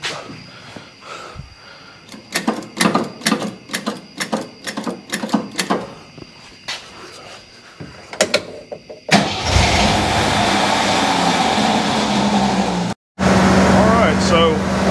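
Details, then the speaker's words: Jeep CJ5 that would not idle, after its carburetor was pulled and worked on: cranking bursts, then it catches and holds a steady, even idle, a bit high from earlier idle-screw adjustment. Normal idle. "but now it's running like pretty legitimately idled up a little high from where i was effing with the idle earlier"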